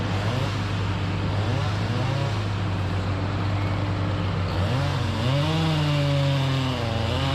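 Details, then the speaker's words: Chainsaw with a 28-inch full-comp bar and aggressively filed chain cutting hard white oak: strong steady two-stroke howl holding pitch under load, rising cleanly as the chain clears; running well, before a later crank bearing cage failure. "i mean this is white oak it's a hard tree it's got 28 inch full comp bar on it i mean i've got it filed aggressively and man puddin's eating good"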